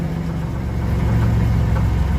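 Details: 1999 Dodge Ram 1500 2WD 3.9 L just after start following fuel line connector repair (3/8 adapter, 5/16 hose): low, steady idle rumble with even beat, no misses or knocks; no leaks, running normally.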